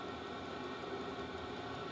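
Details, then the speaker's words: 8 kW 12 V diesel air heater with 5 L tank, turned up to high output: steady even fan and burner roar with the fuel pump ticking, fans speeding up, no knocks or scraping; outlet near 300 degrees, running normally. "And the fans will speed up some. And you can crank this up a bit. Now it's speeding up. You can hear the pump ticking."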